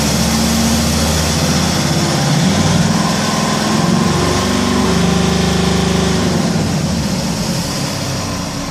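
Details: Mercedes C270 CDI, hot, limited to 3000 rpm (limp mode): diesel runs with a rough, uneven clatter and wavering hum at steady speed; abnormal hot-engine noise, cause unclear.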